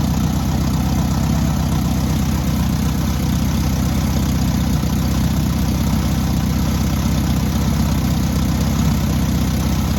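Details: Newly rebuilt air-cooled VW 1600cc engine during first-start break-in: steady, even flat-four at a fast idle with a deep, constant chatter; normal running.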